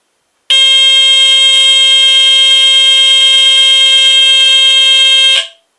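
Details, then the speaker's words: GE Home Sentry 8202-001 120VAC hardwired vintage smoke detector test: piercing continuous high squeal for about five seconds then clean cutoff; sounds like a TC49A but without its modulation, horn possibly rectified; alarm works properly. "And as you can hear it sounds similar to my TC49A although it doesn't have that modulation."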